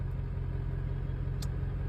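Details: Ford OBS truck after installing hood-to-fender shims to fix creaking and popping (suspension, tie rods, wheel bearings already done): steady low engine and road rumble with no creaks or pops from the front end; the body is now quiet.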